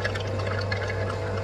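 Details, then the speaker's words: Oil scavenge pump on a twin rear-mount turbo 4.6 2V Crown Vic, electric pump hum with wet gurgling and slurping as a line is loosened to drain the oil system; the pump sucks air past the oil instead of lifting it uphill. "what's happening is it's just sucking air by the oil it's not actually sucking the oil uh uphill"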